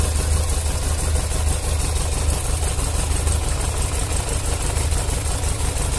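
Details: Yamaha XJ600S Diversion four, cold start, from a before-and-after repair comparison (oil change and other work): a deep, steady, even idle with no knocks or ticks; the owner heard little difference after the work.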